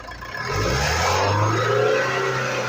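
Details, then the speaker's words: Jaguar XF with pickup loss and changed engine sound: revving brings a hissing, rushing air noise as boost escapes from the split turbo-to-intercooler pipe; boost leak causing loss of power and speed. "य देखिए हवा ज है हवा टा का भी आवाज कर रहा है"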